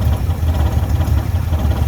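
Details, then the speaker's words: 1967 Jeep CJ5A with Dauntless V6, dual exhaust, just revived after sitting in a garage: low, even burbling idle with a soft regular exhaust pulse and no clatter; engine idles healthily, purrs like a kitten. "Drive it home today. Purrs like a kitten."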